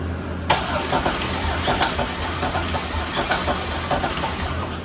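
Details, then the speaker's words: Engine damaged before drift event, very thin oil: rough running with uneven sharp clacks from one bank; confirmed broken lifter, possibly twisted sideways and rubbing, rather than piston hitting valve. "Oh yeah, it's definitely 100% lifter. It wasn't popping."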